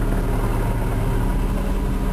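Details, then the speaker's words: Manual gearbox on an engine with 180,000 km idling: steady low droning hum from loose, worn gearbox shafts, not the release bearing, which only sounds when the clutch is pressed. "А когда надавил ещё звук это коробка"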